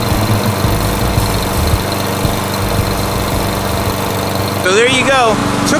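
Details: 2012 Toro Super Recycler lawnmower after its carburetor, which had a float problem, was cleaned and rebuilt with a kit. The small single-cylinder engine holds a steady, even drone with no surging or stumbling; normal running.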